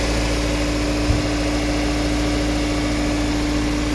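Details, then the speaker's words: 1997 Toyota Corona Exsior, 4A 1600cc petrol engine, automatic, never run on gas; steady, even idle hum with no misses, knocks or stumbles; engine runs smooth and healthy. "เครื่องยนต์ติดไปแล้วครับผมนะครับเครื่องยนต์ทำงานไปแล้วนะครับผมเครื่องยนต์เดินเรียบๆนะครับไม่มีสะดุดนะครับลูกค้าลองฟังเสียงเครื่องยนต์นะครับ"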